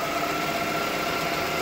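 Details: 1998 Toyota Camry after a no-start: repeated fuel pump failures traced to a faulty harness, new harness installed; steady, even idle hum with no misses or knocks throughout; engine starts and runs healthy.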